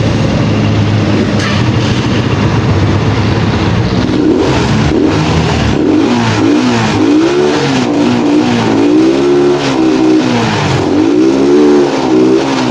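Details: Pantra-type small single-cylinder motorcycle, formerly very hard starting, after converting to a Lihua 4-pin CDI on a primary-type stator: revs up and drops back cleanly with no misses or hesitation; runs healthy and starts easily.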